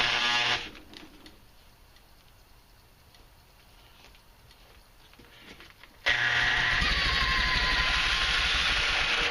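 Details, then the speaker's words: Supercharged engine with Mikuni carburetor on an aluminum intake manifold: the engine bogs almost silent for a few seconds, then surges back to a steady roar as the stuck supercharger frees itself, a sign of issues to come. "you notice right here the supercharger is stuck again and it frees up on its own which is a sign of issues to come but I wasn't really sure until I went back and checked the footage"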